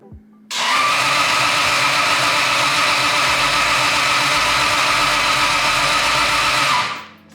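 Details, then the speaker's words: Toyota 2JZ-swapped Datsun 260Z, freshly filled with oil and showing oil pressure: a steady high whir of cranking for about six seconds with no firing; the fuel pumps don't prime at ignition-on, traced to a toasted ECU from damaged wiring. "that's weird i turned the ignition on and i don't have any um i don't have my fuel pumps priming or anything that's weird usually on the opposition you'll hear the fuel pumps priming"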